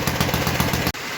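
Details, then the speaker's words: 1952 Clinton VS-700 push mower engine after cleaning points, carburetor and fuel line, no air filter; brisk, regular single-cylinder popping, steady before cutting off, runs on high and low; normal running. "as you did here she runs well got her to tune in um she runs high and low"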